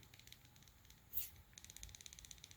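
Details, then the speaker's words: Plastic thumb bar (clutch) on a budget Linnhue baitcaster reel rattles with a faint quick tick-tick as it is wiggled; the bar has play and sits loose, and durability is doubted. "guys hear that jiggling just a little bit i don't like how that's loose in there a little bit loose"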